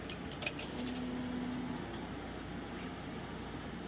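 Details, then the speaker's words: 2010 Kawasaki Ninja ZX-14 after replacing the fuel pump and cleaning a clogged fuel filter, key on with fresh fuel added: a faint steady hum for about a second then stops, the new pump priming normally. "Now you heard it. That was it taking gas."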